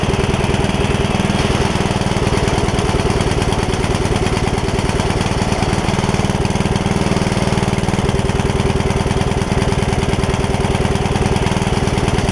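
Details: Free Yard Machines riding mower, engine previously full of water from sitting without air filter; after repair it chugs rough under deck load, about three uneven pulses a second, possibly running rich and smoking; valves not yet gapped, owner suspects remaining water.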